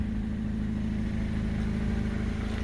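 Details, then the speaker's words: 2005 Hyundai Accent idling after backyard exhaust repair, flange section welded in and gasket refitted after it shifted; low steady tailpipe drone with even pulses, no puffing or leak hiss; exhaust sealed. "we had to do it a couple times because the gasket shifted there she is there and sounds coming out of the tailpipe it's where it's supposed to be"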